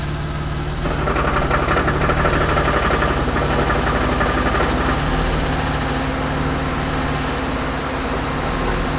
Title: Engine knock